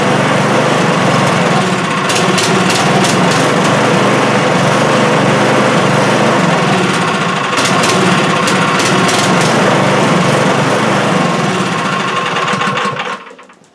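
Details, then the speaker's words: Small snowblower engine, warming up with choke partly off, chugs with a busy, slightly uneven beat, then sags and dies; it won't run without choke. Fuel was seen leaking at the primer, and the owner suspects a crimped fuel line or poor fuel supply. "Yeah, guys, she doesn't want to run on her own here."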